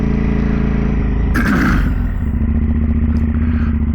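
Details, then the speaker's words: 2010 KTM SMT 990 75-degree V-twin, riding on the road: lumpy twin-cylinder running with a loose metallic clatter riding over it, worst mid-clip, from the rattling exhaust. "so I can already hear that exhaust back there rattling crazy the way that exhaust rattles"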